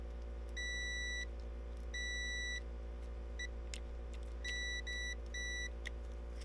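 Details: Ignition switch continuity test with a meter, switching between the start and ignition positions: clean, steady beeps as the contacts close. Contacts conduct OK, though they still need cleaning.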